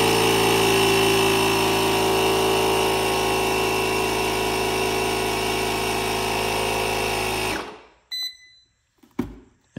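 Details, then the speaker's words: DeWalt DXAEJ14 1600 peak amp jump starter with replaced air compressor pump (old one smoked), testing on a car tire; steady, even motor drone with constant buzz holding level before shutting off; fully functional, normal operation. "but with that being said it works and it's fully functional"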